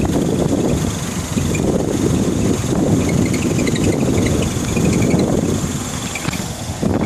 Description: 2009 MINI S making a weird squeaky noise from right front passenger side.